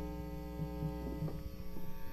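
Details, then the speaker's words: Rebuilt mid-1970s Marshall JMP Super Lead 100W amp, volumes near maximum: steady low mains hum, barely any, no crackle or buzz; quiet healthy amplifier. "Alright, and then there's barely any hum at all."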